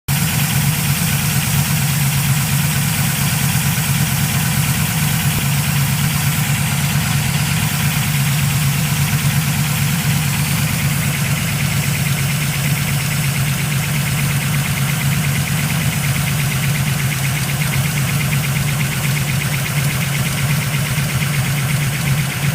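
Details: 383 small-block Chevy V8 idling with a light, quick tapping over the low rumble after installing new AFR 195cc Eliminator heads; 3mm piston-to-valve clearance, correct pushrods, source unidentified.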